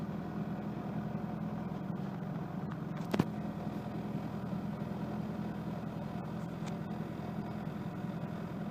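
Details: 1992 Mitsubishi Lancer GTi with newly installed KIFECO MAF sensor, cold start: quiet, even idle with a steady low hum, no misses or stumbles apart from one brief click; healthy cold-start idle after a rough idle and power-loss fix.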